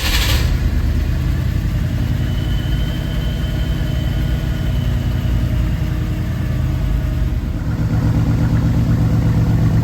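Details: 1965 Ford Galaxie 500 390ci V8 with new Holley Sniper EFI, first start in basic closed-loop learn mode after fuel priming; deep, steady burble at an even low idle with no knocks, misses or hunting; normal idle.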